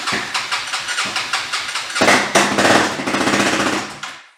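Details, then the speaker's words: Honda 400EX ATV single, iffy battery, windy outdoors: uneven cranking chugs catch into a lumpy, stumbling, surging run that dies after a few seconds; the carburetor needs cleaning. "Yeah, the carburetor needs to be cleaned"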